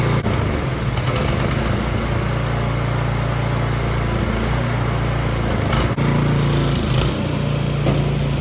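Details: Snow Tech snowblower by Ariens, Briggs & Stratton clone single-cylinder, after carburetor cleaning and reinstall, started on choke. Catches and settles into steady, even drone with light clicks; runs well, normal running.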